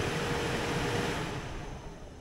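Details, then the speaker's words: Blower motor bench-tested on direct voltage; even, steady airy whoosh with no rattle or scraping before spinning down — smooth, normal blower operation. "fan sounds smooth but before we put it in I need to get this cleaned up a little bit"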